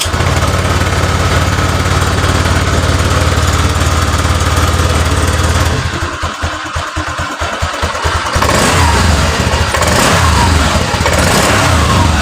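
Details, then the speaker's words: Honda Vario 125 scooter that stalls when hot, lacks power and overheats, fuel gauge blinking: revs on stand, then beat goes ragged and uneven before recovering; throttle hesitation, no DTCs stored. "itu sering mati mendadak dan kalau dig gas itu mbet enggak ada tenaganya"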